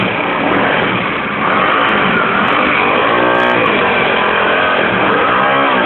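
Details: Comet 250 single-cylinder motorcycle idling unevenly with an irregular mechanical clatter over the exhaust beat; strange engine noise, source unidentified.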